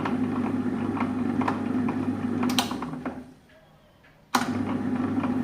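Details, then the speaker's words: Table-top wet grinder after ball bearing replacement (6004 bearing, white grease): steady, even motor hum with no rumble or rattle, switched off briefly then back on smooth; earlier noise gone, normal running. "ஒரே சத்தமா இருந்தது இப்ப அந்த சத்தம் கிடையாது இப்ப ஸ்மூத்தா இருக்குது"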